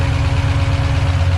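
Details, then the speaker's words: Freshly rebuilt stock Ford 302 V8, turbo setup, first fire-up with oil pressure about 60: rough, lumpy idle with steady low throb and faint quick ticking plus some smoke; valvetrain ticking after rebuild. "Now you're gonna hear some ticks and you're gonna see some smoke"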